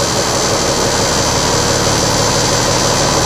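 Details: Tractor-trailer diesel idling steady and even during a pre-trip inspection, with loud air hiss as the compressor builds pressure from 50 to 90 psi, required within 3 minutes, until the governor unloads. It sounds healthy.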